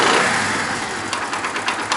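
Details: Honda CD 70 / China 70 motorcycle after accelerator cable adjustment with slight free play: small single-cylinder revs, then short quick blips pick up right away; throttle answers promptly with no lag, normal response.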